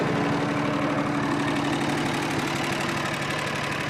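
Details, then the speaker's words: John Deere 445 garden tractor with about 2500 hours, warm start, no exhaust smoke; steady even drone with a smooth mid hum and no grinding or whine; transaxle now runs quiet after topping up its low oil. "once I added oil the transaxle really quieted down too because they just don't like being run low on oil"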